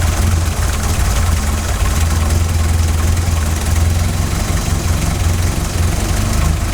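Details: 16-valve Mk2 Golf GTI, idle screw set to 950 rpm, CO mixture at 0.7% versus 2% spec after failing MOT emissions: deep low idle pulsing unevenly and hunting, engine visibly rocking; lumpy wandering lean idle before CO adjustment.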